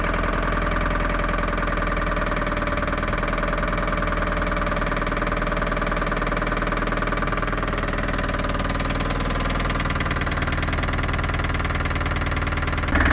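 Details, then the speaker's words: Land Rover Series III, long stored in a yard, idling: rough, loud running with a steady knock about four times a second; doesn't rev well, suspected top-end knock, source not yet diagnosed. "although it runs like a Bag of Nails it actually idles on its own it doesn't rev very well and I'm not sure what that knocking is but it sounds like a top end knock"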